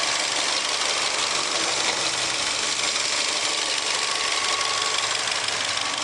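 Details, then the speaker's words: 2013 Holden TM Barina, 1.6 F16D4 engine, 5-speed manual, 44,401 km, at idle: quick, light, even top-end ticking over a steady idle with nothing irregular. Normal, healthy idle. "There's our engine ticking away there. F16D4 this one."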